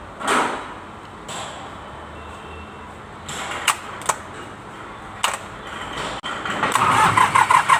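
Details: Mitsubishi K3E three-cylinder diesel in an MT18 tractor, after replacing three pistons and rings for hard starting: quiet clicks, then quick, even cranking pulses as it catches cleanly; a healthy start.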